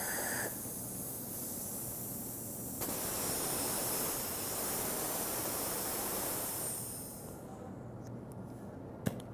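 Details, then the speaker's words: Fusion AP air purge spray gun after service reassembly, clean-off air needle valve opened about a half turn, no chemical flowing, air across the tip to keep the cap from coagulating: a soft, steady hiss that swells slightly then fades; normal clean-off air. "You can barely hear the air. It's just coming across this tip. And it's going to kind of keep that cap from coagulating."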